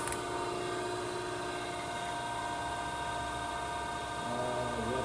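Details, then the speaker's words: Okamoto ACC-12.24DX horizontal-spindle reciprocating surface grinder, grinding wheel spindle brought up first before hydraulics and oil: smooth, even hum with steady tones, no knocking or grinding; spindle sounds nice, normal running. "Let's try that again. Yeah, it sounds nice."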